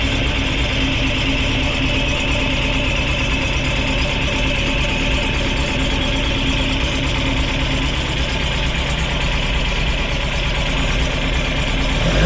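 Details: Ford crossflow race engine in a TVR Vixen, rebuilt with a loaned cylinder head, first start: runs steady and crisp with even firing, no knocks or misses; healthy while warming up.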